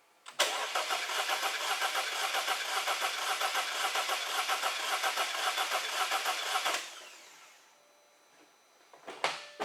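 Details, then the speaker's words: 2014 Audi A6 2.0 turbo four-cylinder with a misfire, coils unplugged and weak or low battery: cranks about six seconds without firing, uneven chugging as cylinder one has no compression, traced to broken piston lands. "okay i don't know if you can tell you can also kind of hear that it is not sounding the best mechanically while cranking"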